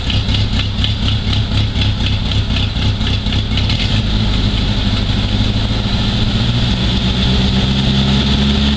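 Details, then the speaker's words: Jeep restarted after a Seafoam intake treatment soaked about five minutes and is now smoking: loud uneven idle with a fast puffing tick, about four a second, over the engine drone; a small exhaust leak. "all right I got a little bit of an exhaust leak otherwise it' be coming out a little bit darker"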